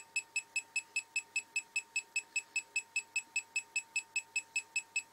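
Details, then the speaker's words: Homemade SMD PCB reflow oven controller, oven hot, in the reflow stage: fast, very even high-pitched beeps at about 2.5 per second without a break; the normal stage signal. "And as you can hear, that little bleeper's going crackers. Oven's nice and hot."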